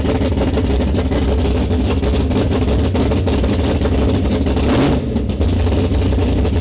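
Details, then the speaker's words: Foxbody 402ci stroker Windsor V8, Vortech T-1 supercharger, big custom HR cam, TFS R heads, long tube headers, Holley EFI, freshly built: deep loud choppy lopey idle with strong rev bursts, running steady, no leaks; normal idle and revving. "The sound meter on the camera was pegged the whole time, so I don't know how it's gonna work."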